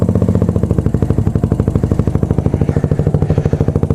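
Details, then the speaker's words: Motorcycle at idle after replacing the blown exhaust gasket and fitting a Megaton muffler, with a pod filter and untouched jetting: loud, steady idle with crisp, evenly spaced exhaust pulses about twelve a second, low rumble, no misfire; runs clean. "Ah, that's beautiful, man. It's awesome. Low rumble."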